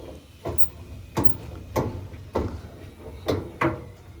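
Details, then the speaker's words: Dryer drum turned by hand gives slow dull thumps about every half second to second, loudest on one side; the drum felt seal has come loose and causes an imbalance. "I'm spinning it around manually, and I'm already hearing the thump. So, so far, I've already determined, guys, that this quote-unquote seal has come off and causing like a disbalance."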